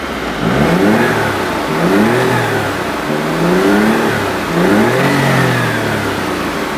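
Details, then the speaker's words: Smart Roadster three-cylinder with 12,000–14,000 km, on its first drive in a year after sitting unrun for months, with the aircon on. Revs rise and fall, each with a faint chirpy "tweety bird" whistle: normal turbo spool. "can sort of hear the turbo very very it makes little like tweety bird noises"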